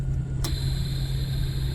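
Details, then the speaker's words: Lexus LS430 rear drone at 40 mph, heard via chassis ears on channel 1, the driver-side hub; steady low hum fixed in pitch with faint road hiss, noticed days after rear diff fluid change and tire rotation; no wheel play; diff or wheel bearing suspected. "I noticed this a lot more when on the highway."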